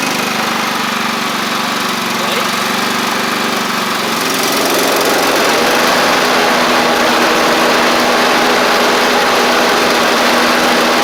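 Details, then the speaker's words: Free John Deere L110 riding mower after fuel pump replacement; the old pump flooded the engine, likely because its cam lobe kept it from closing the check valve. Steady, even drone with no surging, stumbling or hunting; normal running. "and we're dry around the where I put the fuel line on so it was the fuel pump how about that um pushing way too much fuel in there"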